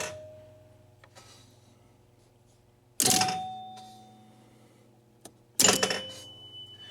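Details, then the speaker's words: Gottlieb 1974 Big Shot pinball machine chimes: two strikes, each with a hard metallic clack as the plunger drops back onto bare metal, its rubber grommet cushion missing. "So the chimes actually work fine, but you've got this clack, clack, clack. So what that is there is a little plunger that jumps up in the air and hits the chime, and then it falls back. And when it falls back, it's hitting this metal and making a loud clunking sound."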